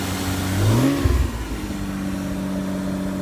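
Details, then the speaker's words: 1992 Toyota MR2 with a freshly finished 1MZ-FE V6 swap, free-rev blip: revs climb cleanly and drop back to a steady, even idle with no misfire or rattle. A healthy V6. "Sound is probably the most impressive thing about the V6 swap."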